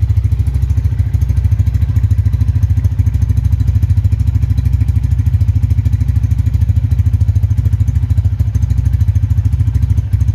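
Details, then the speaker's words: Tiger Revo 2011 single-cylinder motorcycle, 10,800 km, choke off, idling at about 1,000 rpm: steady idle with a light even tek-tek valve tick, considered characteristic and normal; healthy engine. "ini untuk stasioner Sungguhnya nih pas banget ya dikali 1000 dengerin temen-temen jadi kayak masih ada suara tek tek tek sama jring jring jring jring"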